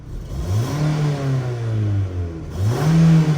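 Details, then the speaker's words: Opel Zafira A with LPG, misfiring on cylinder 3 on petrol, tachometer dead, check-engine light on; on gas in first gear under throttle the revs climb, sag abruptly, then surge back, jerking under load. "на газу ні на газу наче крутить але як якось вона на першій передачі на газу теж дьоргалася"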